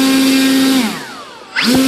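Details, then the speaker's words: Volantex/Lanyu ASW-28 V2 sailplane on the bench with a replacement ESC, held by hand. Steady motor whine cuts out and the prop coasts down slowly because the ESC has no brake set; braking is needed for a sailplane. "what it is is that there's no breaking and that's ridiculous okay you need breaking"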